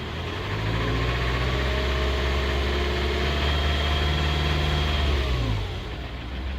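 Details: Jaguar 2.0 diesel on a cold morning: deep, slightly uneven chugging idle with a brief rise and fall in revs and white smoke; rough until warm. Oil change, MAF, camshaft sensor done; glow plugs test OK; cause not pinned down.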